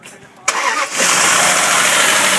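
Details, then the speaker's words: Dodge Durango 4.7L V8 starting and idling, light quick ticking over steady idle from right-side lifters, which are to be replaced; lifter tick. "can hear the clicking. That's the lifters. We're going to be replacing them."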